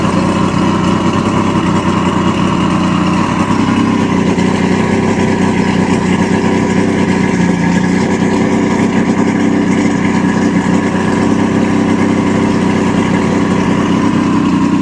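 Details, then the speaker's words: 1986 Mercury 90hp two-stroke outboard on muffs after water pump replacement and prop regreasing; constant steady drone with no surging or missing, running really well at idle. "She's running really, really good, folks."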